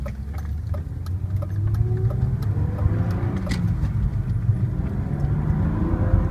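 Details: BMW E36 M3 engine running with a dull, muffled low drone and a few faint ticks on top; owner can't figure out the source of the weird muffled noise.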